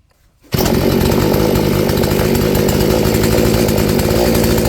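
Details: Poulan 3416 chainsaw on a new Hipa C1M-W26 replacement carburetor, with the mixture screw turned out about half a turn: it fires and holds a steady, even high rev with no stumble.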